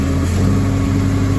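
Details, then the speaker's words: Old Hyster forklift flathead engine running on choke after carb and fuel repairs: low steady drone at fast idle with faint uneven flutter from the choke plate; choke flutter. "can hear the flutter in the choke going. See if it'll run part choke."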